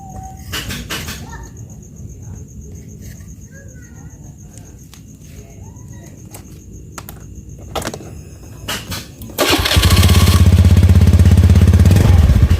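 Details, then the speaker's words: Honda Beat FI scooter with previously unstable idle, restarted after repeating the manual ECU reset: fires after a quiet stretch and settles to a steady normal idle, no bogging on throttle. TPS sensor suspected next. "Oke sudah terdengar ya sama temen-temen jadi langsanya sudah normal terus di gasnya juga sudah tidak blebek seperti tadi ya"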